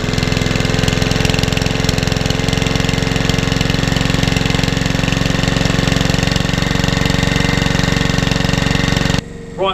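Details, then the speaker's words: Mountfield 164 lawn mower engine, previously partially seized, first run after freeing: fast steady single-cylinder buzz, no knocking, smoke or stumbling; normal running. "that lawnmower, as you can hear, is in the background running away. It's not smoking, not doing anything it shouldn't do."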